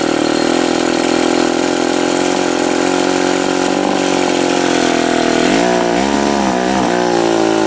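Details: Old Remington SL-11 two-stroke chainsaw after repair, duckbill valve fitted to stop bar oil blowing back into the cylinder; steady, buzzy idle holding even pitch, no stumbles or misfires, running properly.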